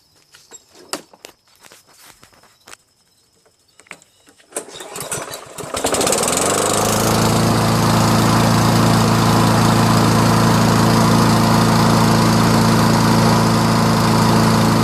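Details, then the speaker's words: Toro SR4 lawnmower with Loncin Chinese clone engine and fabricated auto choke, cold morning start; recoil pull, then the engine catches first try and settles into a steady even run with no misses. "It's an auto choke. First try in the morning, cold start. How about that?"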